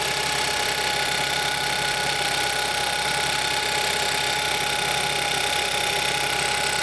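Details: 2011–2015 Kia Optima 2.4L GDI engine started right after a valve cover gasket replacement with RTV sealant; a loud, fast, even ticking, about two per second over a bright hiss, not heard before the job, a top-end engine tick of unknown cause.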